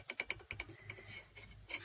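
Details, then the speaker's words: Mazda 626 brake caliper guide pin, itself undamaged, rocks with sharp metallic clacks in its worn, widened bore, causing the caliper knock heard while driving. "Вот видите, она в хорошем состоянии, не побитая, ничего, но вот сюда мы ее вставляем и видим, как она бьет. И слышно, как она стучит."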